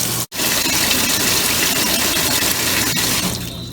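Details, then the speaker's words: Circa-2003 Maytag Oversized Capacity Plus top-load washer set to warm on color cycle: steady hiss of fresh water pouring into the tub, no strain or hammering; normal fill. "as you can hear the water is filling up properly so that's why you can you can see there's a fresh water pouring down to its tub"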